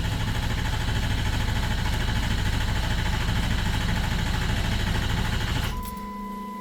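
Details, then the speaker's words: Ford 6.0 diesel: long steady starter crank that never fires. Injection control pressure stays under 400 psi, short of the 500 psi needed to fire the injectors, while FICM voltage reads 47.5–48 V. Crank no-start from low pressure; a high-pressure oil leak is being diagnosed. "So it didn't even make 400. So that's obviously enough for it to not open, because like we said earlier, you need at least 500 PSI in order to get those injectors to fire."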